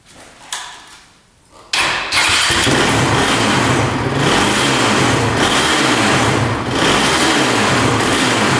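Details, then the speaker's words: 2007 Honda TRX450 quad that bogs and keeps shutting off, carb leaking: it fires after cranking into a rough, dipping idle and runs better with the choke, so it is judged to be running too rich and probably flooding; spark plug also possible. "does it run better with the choke or without it runs better width we know it's running too rich and it's probably flooding"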